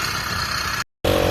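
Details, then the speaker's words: Freshly self-built two-stroke motorized bicycle on its first test run after idler adjustment: brief bursts of steady buzzing with a rattly edge and no misses or knocks. Runs great. "pretty good. Runs great."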